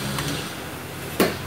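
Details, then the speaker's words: Speakers on a normal power strip without surge protector: a sharp single pop over faint hiss when an electric fan is unplugged from the same strip, a switching transient. "see here, you can hear that, that's from the speakers due to when removing electric fan. Hear that? See? It's really bad."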